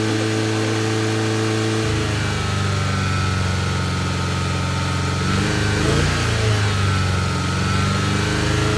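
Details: 1G Mitsubishi DSM (4G63) running after a no-crank no-start problem suspected ECU or MPI relay: steady low drone with slight unevenness and hunting at idle, possibly bad fuel; rough idle, cause not pinned down.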